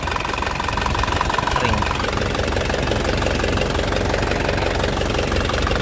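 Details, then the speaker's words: 2004 Isuzu Panther LS Black Panther diesel, warm after driving: steady, even idle clatter with no knocks, misses or hunting, no blow-by, and a dry underside with no oil seepage; healthy idle. "Saat siunannya juga enak, suaranya renyah, mesinnya juga tenang, tidak pincang, ya. Jadi tandanya mesinnya itu insyaallah sehat."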